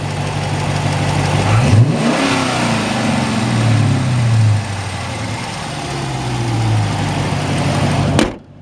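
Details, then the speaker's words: Dodge Challenger RT 5.7 V8 after K&N air filter install: blips up and settles smoothly to idle with a breathy intake rush on each rev, runs clean; normal revving with intake noise. "You can hear a little bit. It does sound like it's sucking in air, but one"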